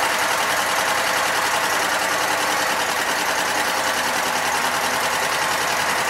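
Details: Sears Craftsman, Kohler Commander engine, after no-spark repair, clutch wire fixed, new fuel and new spark plugs: keeps chattering along at a fast, steady clip with a bright buzzy edge; starts and holds running fine.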